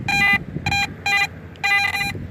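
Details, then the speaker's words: AT Max metal detector with a Sniper coil at high sensitivity: some background chatter, then crisp, repeatable mid-pitched beeps. Target ID 73-74, very shallow at about an inch deep. Solid target tone. "you can hear the chatter but when you do go over a target it does let you know"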